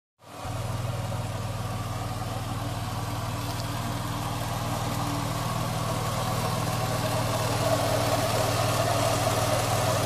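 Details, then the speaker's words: 2007 Ford Taurus SE idling with a loud steady hum and faint high squeak from the original, worn A/C compressor at about 171,000 miles; fixed by replacing the compressor. "now after everything is done the a/c should work the way supposed to and it won't be making it crazy humming and squeaking noise found out it was a the compressor just old"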